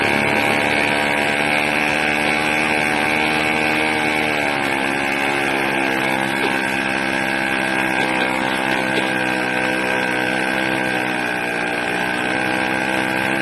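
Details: 80cc small two-stroke engine, loud and raspy, pitch sagging and surging every few seconds, lean-sounding and erratic; owner suspects a carburetor problem with a leak at the intake manifold, not confirmed.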